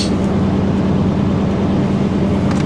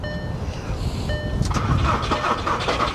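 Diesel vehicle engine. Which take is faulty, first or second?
second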